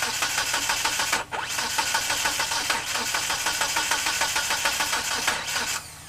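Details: 1997 Eclipse GSX running a 95/96 ECU with the cam sensor flipped 180 degrees: fast, uneven starter cranking at about three a second with a brief break, never catching. It cranks but won't start; timing or the cam angle sensor is suspected.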